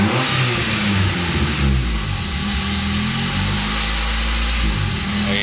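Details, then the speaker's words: 1990 Honda Accord with new distributor, plugs and wires and cooling system bled. Idle sits way too high, above 1,000 rpm against an expected 500–800, and rises and falls after throttle is given instead of settling. Faulty idle air control valve, later confirmed as the fix. "So right now it's idling way too high. It should be under 1,000, anywhere from 500 to 800. As soon as I give it gas, so it goes up and down."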